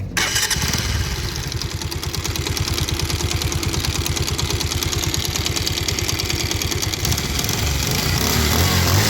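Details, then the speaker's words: Bajaj Pulsar 150 idling: rapid, uneven knocking from the clutch side. Cause is a worn body balancer scissor gear; the clutch plates are also worn and the engine bolts had loosened and fallen out. The balancer will be replaced. "तो जैसे कि आपने इसकी आवाज़ सुनी, clutch में खटखट की एक आवाज़ आ रही है। तो इसका जो सीजर गियर है वो ख़राब हो चुका है।"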